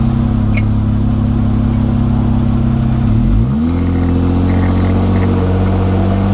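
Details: Jeep JK 205, while driving: steady low whine under road drone that slides down and settles at a new pitch as speed changes; owner thinks it comes from the rear differential, not confirmed.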